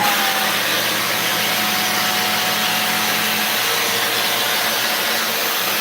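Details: Vacuum with no suction, clogged, with the bin empty while the floor stays uncleaned: a constant airy hiss with a thin strained whine and little low rush of airflow. Clogged vacuum, no suction.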